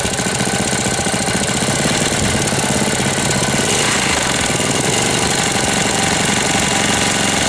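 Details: 1998 Briggs & Stratton 60 Intek Edge 6 hp engine after oil change, oil-leak and hose repair, throttle at zero yet running fast, oil level fine: harsh, fast rattling knock over a busy rough idle; it sounds about to seize, cause unclear.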